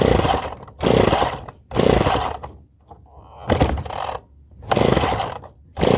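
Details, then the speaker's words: Engine first start after rebuild, pull-started, firing in short rough bursts then sputtering out; feels fuel-starved, owner suspects a carburetor float stuck open, fuel leaking. "Sounds like it's working. But it doesn't feel like it's getting fuel."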